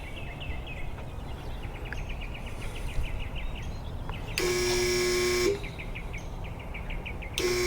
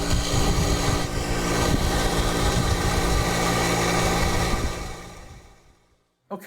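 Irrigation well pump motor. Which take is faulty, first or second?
first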